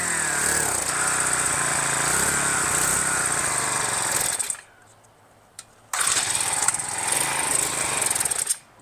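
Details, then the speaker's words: Small two-stroke engine being fixed: a buzzy, uneven rev that dies back twice. It idles but needs choke above idle and runs well only when the intake port is covered by a finger. It is suspected of starving for fuel. "when I cover the port up does good needs more fuel so how do we give it more fuel like it will idle but anything after ID it needs like choke on it"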